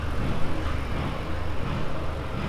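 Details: R31 Skyline with an RB30E+T, idling after the earlier noisy sound was traced and fixed: a deep, steady idle rumble with no squeak or whir from the belt drive; it runs smooth and quiet.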